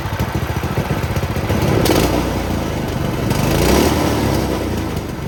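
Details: Doodle Bug mini bike, small single-cylinder engine after swap, first start with a small fuel leak: pops along unevenly, rising and falling with throttle blips, but keeps running on its own.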